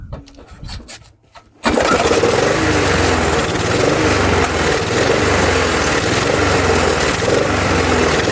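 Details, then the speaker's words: Murray mower, Tecumseh engine swapped for a Briggs (stated as "brace"), running on a different carburetor after the first was cleaned four times including ultrasonic: catches then surges and sags about three swells a second, never settling; hunting, cause not found. "Yeah, this is not looking good for this engine at all. I don't I I'm at a loss, guys. I'm at a loss."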